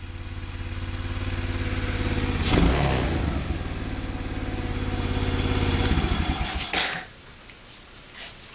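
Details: Kazuma Falcon 110cc four-stroke semi-automatic quad, new battery and starter solenoid fitted; small single thumps steadily, rises slightly, shuts off cleanly; runs fine, though owner suspects worn automatic clutch.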